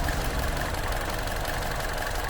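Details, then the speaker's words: Vauxhall Insignia 1.4 turbo petrol after tightening the turbo V-clamp to fix an oil leak and fitting a Pipercross air filter: steady, smooth idle with no hiss or chuff from turbo plumbing; no smoke on start, V-clamp confirmed as cause; normal idle. "so just as I expected, it was the V-clamp, because it didn't make no smoke when I started it on full start. Everything sounds good."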